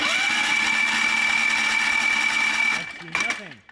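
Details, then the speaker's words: Built Predator 670cc engine on a mini dragster with a third new set of aftermarket ignition coils: starter spins with steady high whine nearly three seconds, never fires, winds down; no spark, traced to flywheel magnets losing magnetism. "are the stock ones those should work dude they were working before yeah and now they're not"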